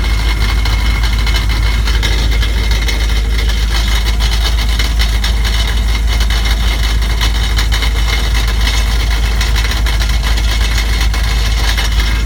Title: 2001 dodge ram 1500 5.2l, 77k miles. Knocking noise